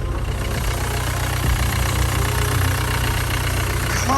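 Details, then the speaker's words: Salvage Mercedes W205 C-Class that now starts first time every time after earlier starting trouble. Low, even idle hum holds steady with no knocks, misses or hunting, a normal idle. "Right guys, so as you just saw from last night, the car is starting. Have a listen. First time, every time."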